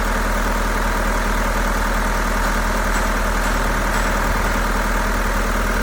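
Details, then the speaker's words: Mahindra diesel, automatic, idling about 1200 rpm with check light on: uneven lumpy misfire from a dead injector, recurring days after dealer replaced one injector; rpm normal when brake pressed. "के अंदर काफी ज्यादा missing है metre के अंदर check light भी show हो रही है"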